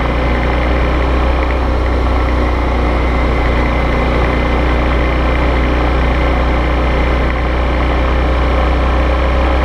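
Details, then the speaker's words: Brand-new Suzuki V-Strom DL650 (white), camera on bike during test ride: steady V-twin drone under wind with loose irregular knocking about four per second; owner believes abnormal engine knock, dealer denied it. "this white one is mine I believe it has an abnormal engine knock but we'll take both for a ride"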